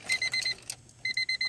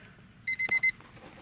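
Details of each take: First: 1999 Honda Civic LX that won't crank (also overheats): the warning chime sounds as two groups of four crisp, evenly spaced high beeps, showing the battery works; the no-crank cause is still unknown. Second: 1999 Honda Civic LX that won't start and overheats: four quick high beeps with key on, normal dash warning chime showing the battery supplies power. Ignition-on warning chime.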